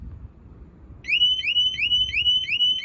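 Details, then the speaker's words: Motorcycle at an auction yard: a loud, repeating electronic chirp sweeps up about three times a second over quiet handling noise. The bike's security alarm is apparently going off; cause unconfirmed. "Why is this thing going off? Is it the alarm?"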